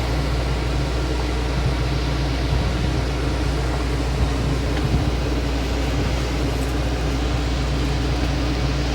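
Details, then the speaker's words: Dometic RTX-2000 12V rooftop air conditioner in a Ram ProMaster 3500 Extended van, at about 2–3:30 pm: a steady low hum under an even rushing fan, with a heavy, laboured tone. The owner thinks it needs more airflow; it strains less with the window open. "Yeah, so I think with this, I think it needs more air to flow through in order to get the heat out of here. Because like as soon as I open the window, it sounds like it's straining much less."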